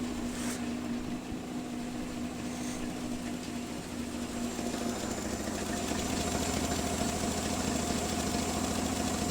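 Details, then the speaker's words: Nissan Z31 engine at a not-yet-warm idle after the coil wire was refitted, now running much better during compression leak and coolant pressure testing for a failed coolant pressure test; even, settled idle with smooth steady hum, no knocks or misses; normal idle. "okay now it runs a lot better all right uh we should be real close to our 10 minutes the engine is not exactly warm by any means let's let it run for a little bit longer"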